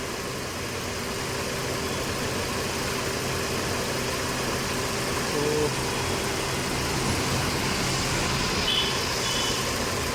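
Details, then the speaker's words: Mercedes-Benz (W204/W212) four-cylinder petrol engine idling with an uneven, lumpy beat under a steady hiss, engine visibly shaking; misfire, running on three cylinders, causing rough idle and no pickup or power, before scanning. "तो आप देख सकते हैं अपना गाड़ी start हो और जो इंजन है ना वो कांप रहा है हिल रहा है"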